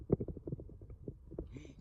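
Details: Chevy Silverado front wheel hub spun by hand gives a low, uneven, gritty rumble and feels loose; worn wheel bearing diagnosed, the other side quiet, hub assembly replaced.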